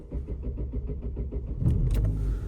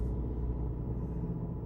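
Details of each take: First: Помиловок немає активних. Все працює. Все працює. І акселератор теж працює. І дроссель теж працює. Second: Opel Vectra B (about 1999–2000) with the Y16XE engine in limp mode after an engine control unit replacement, with no fault light. Low, steady drone that will not rise above about 1500 rpm even with the pedal floored, while the idle runs high and hunts.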